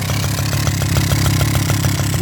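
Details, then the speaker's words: 1984 Suzuki LT50 two-stroke quad revived after sitting outside for years, oil not checked: small two-stroke burbling at a steady, even idle with a crisp regular beat and no misses or rattles. Normal idle. "but I ain't really worried about it old thing's idling man what do you know"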